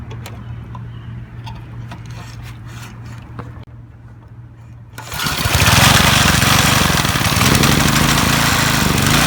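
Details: Briggs & Stratton 3 HP MTD edger after repairing an unsealed starter clutch with dislodged ball bearings that had caused squealing and stalling on starting: it fires at once and runs to a steady even buzz with no squeal. Normal start and running.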